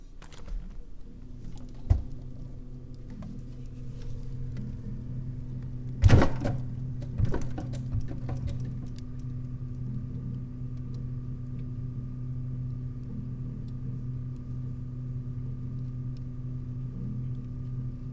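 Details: KitchenAid refrigerator KBSN602ESS00 running: low steady hum broken by a few sharp, irregular knocks early on; refrigerator knocking noise.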